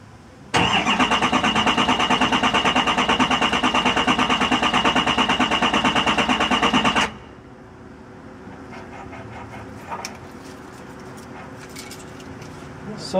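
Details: Diesel truck that wouldn't start, fuel pump not heard priming and then replaced without fixing it: about six seconds of steady cranking at roughly three beats a second, never fires; crank no-start, cause not yet found.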